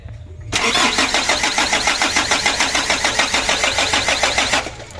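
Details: Freshly rebuilt 120 PS 4D34 diesel with a manually serviced injection pump, new air filter, oil and coolant filled: even starter cranking, about 3.5 beats a second for four seconds, never catching; being cranked to bleed fuel to the injector lines.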